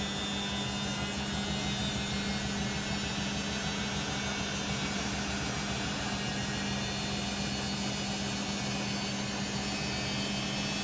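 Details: Beko WM5100W 5kg street-found washing machine, plumbed in, rinse/spin test with rags: a loud steady roar with a constant hum underneath through the whole spin; noisy, with no clear sign of the cause.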